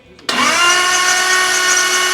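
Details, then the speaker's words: 1932 Ford Roadster with freshly swapped 335hp supercharged Ardun flathead, valves lashed hot 0.010 in, magneto off and fuel pump fuse pulled: steady high starter whine, no firing, spinning cleanly to prime oil, about 40 psi and oil dripping out; normal cranking. "all right the mag is shut off I pulled the fuse out of the fuel pump so the fuel pump's not going to be running crank this thing over and wait for some oil to pressure up"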